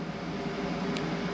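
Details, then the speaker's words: Everlast plasma cutter on a CNC plasma table, idle before a cut: constant loud whirring drone at a steady pitch, no rattle or speed change. The cooling fan runs continuously by design. "now the one the one bad thing about the everlast is that the fan always runs so if you can hear that noise is that thing it's super loud sorry about that"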